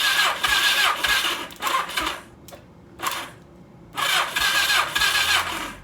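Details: 1982 Suzuki GS1100 not run in years, cranking with plugs out after oil squirted in cylinders, compression test reads 140: starter spins in bursts, chuffing evenly about four times a second, no weak strokes; good compression.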